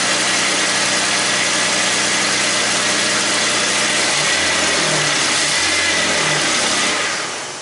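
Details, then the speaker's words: 2001 Ford Mustang V6 automatic after engine swap, first run after correcting firing order: engine catches and runs with even, rough-edged roar and brief rev, smoking but didn't sound too bad; normal running. "smoke it smoke it but it did run it didn't sound too bad"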